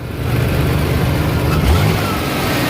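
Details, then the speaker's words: Ford 2.9L V6 with idle air control valve replaced last year and plugged back in: engine note stays at a raised speed instead of dropping back, holding a high idle; owner cannot explain why, rough idle also reported. "and just holds it at that higher idle I have no idea why that's new though that thing's brand new it should be open and closing properly I don't understand it"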